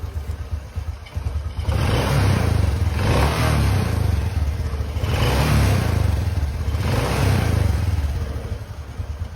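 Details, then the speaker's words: Honda Supra X 125 just after cam chain (rantai keteng) replacement and oil refill, electric start: smooth low hum through three clean revs, no top-end rattle or ticking; very quiet, healthy running. "Dan suaranya seperti ini ya, sangat sunyi sekali. Buat tarikannya sudah pulen dan buat suaranya ini sangat ngepros ya seperti Astor Aladin yang baru dibuka."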